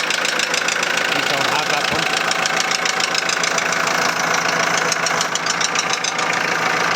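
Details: 2001 VW Transporter T4 1.9 TD diesel at idle: deep, regular rapping three to four knocks per second over diesel clatter; first thought to be in the head, teardown found big end bearings worn almost through.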